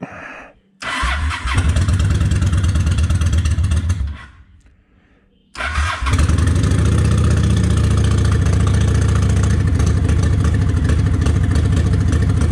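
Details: Honda 750 ACE Deluxe started cold on choke, fresh fuel, tank on reserve; worst once cooled down: cranks, catches briefly and dies, then restarts to a lumpy, uneven idle; acting up, cause not established.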